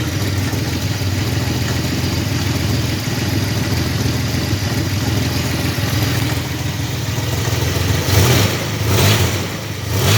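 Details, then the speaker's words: 1985 Chevrolet S10, 2.8 two-barrel carbureted V6, 2WD automatic, almost 60 psi oil pressure; steady, fairly loud running with uneven clatter underneath. Engine knocking noise, cause not yet checked. "It does have an engine noise. I'm not sure what it is yet. I haven't checked it out."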